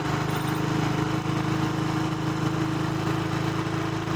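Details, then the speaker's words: Single-cylinder bike that stalls when cold in winter mornings: idle with a steady low thump rises slightly as the carburettor air mixture screw is slowly opened, setting air to cure cold stalling. "જો હું ખોલું છું તો race વધે છે જો વધ્યો race"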